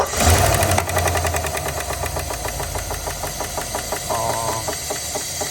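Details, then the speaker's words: 2022 Chevrolet Suburban, running with valve cover removed on misfiring cylinder bank; sharp tapping about three to four a second tracking engine speed, one rocker not moving, later found to be a failed lifter and bent pushrod. "Pensé que algún balancín o algo estaba suelto, algo no pareciera lo que es de acuerdo al ruido y ese cilindro es el que está fallando."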